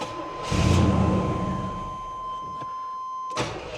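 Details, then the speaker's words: 1984 Chevrolet Monte Carlo SS, barn-stored for years, carburetor primed with fuel: starter chugs evenly about a second, no catch, then a chime. Cranking no-start; weak fuel pump suspected of lacking pressure to lift fuel to the carburetor. "Now I'm satisfied it is the fuel pump. It's just weak. It doesn't have enough pressure to pump it up to the top of the line."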